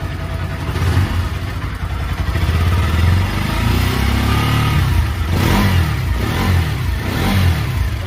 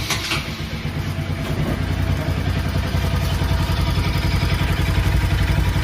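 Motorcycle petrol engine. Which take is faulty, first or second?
second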